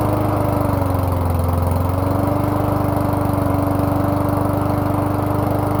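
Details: Toro lawn mower with a 3.5 hp Briggs & Stratton engine, finally running after a hard cold December start: a steady drone that sags and recovers once early on; mild surging, possibly an air leak, cause unconfirmed (owner suspected the carburetor).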